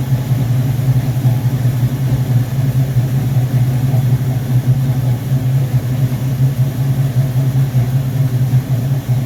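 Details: Rebuilt Rochester Quadrajet 7029202 from a 1969 Corvette (ethanol-damaged fuel bowl cleaned up), first start after rebuild: deep, steady V8 burble, even rhythm with no stumble, miss or surging; normal idle.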